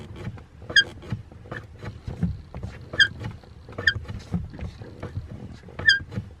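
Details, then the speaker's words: BMW E60: short, sharp, irregular rubbery squeaks only near the top of pedal travel. Suspected to come from the clutch pedal itself or the pedal box, not the clutch assembly; fixed by greasing. "see it's only kind of at the top of the pedal it's not it's not right down okay so from that squeak i'm thinking that it's something to do with the clutch pedal itself or something on the pedal box"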